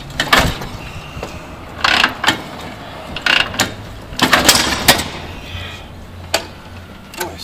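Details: 1949 Harley-Davidson Panhead, low on gas: irregular clunks from repeated kickstart strokes, engine never catches or fires; owner suspects gum in the carburetor and stale fuel from lack of riding and tune-up.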